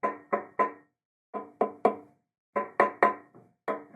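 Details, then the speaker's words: Guitar fret ends tapped with a screwdriver: several taps ring dull and hollow instead of crisp, showing about three loose fret ends, probably from the guitar drying out. "over here on the other side you the Fret end has also come loose listen to this so to me it looks like there's about three Frets here that have come loose and that's probably due to the guitar drying out"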